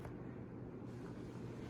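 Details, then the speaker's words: 52-inch Westinghouse Xavior II ceiling fan on high speed: steady, even rush of air with a low smooth rumble and no knocks or rubbing, running normally despite a slight wobble. "high speed. It still runs okay."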